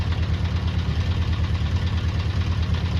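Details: Restored Honda CB400 Four motorcycle, carburettors being balanced: low lumpy idle pulsing about three times a second like a tractor, below 1,000 rpm instead of the specified 1,200 rpm; rough idle, cause not yet pinned down.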